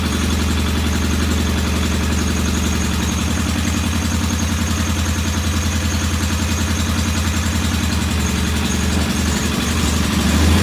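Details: Norton P11 vintage British motorcycle twin, first start after carburetor fully disassembled and old dead gasoline replaced with fresh; lumpy, uneven idle around three to four beats a second, stumbling and hunting; one carb's pilot jet not following adjustment like the other, suspected partly blocked.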